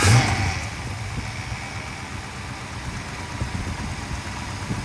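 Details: 1962 Dodge Custom 880 with a suspected cracked block, started with the carburetor primed: quick catch, then a low even idle rumble with no misses or knocks; the engine runs healthy.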